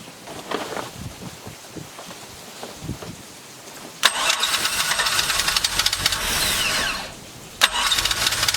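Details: Truck V6 swapped into MerCruiser ski boat, first start with electric fuel pump: rough ticking crank for four seconds, then catches and settles into a steady run with splashy hiss of water; starts and idles fine.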